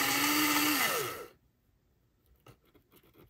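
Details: Classic model steam locomotive on cradle, power applied to the wheels: small motor whirs high and steady, then winds down and cuts out, faint clicks; runs only occasionally, one axle suspected bent; intermittent motor running.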